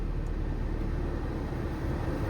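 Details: 2007–2012 Nissan Sentra after blower motor replacement, fan at full: steady, even rush of air with low hum and no squeal, rattle or ticking; normal blower operation at full speed.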